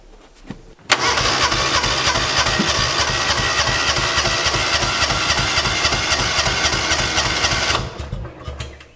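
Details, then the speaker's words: 2005 Kawasaki Mule 600 after carburetor cleaning: about eight seconds of steady starter cranking that never catches; no start, owner suspects it needs a new spark plug. "well no luck with that hmm might need a new spark plug"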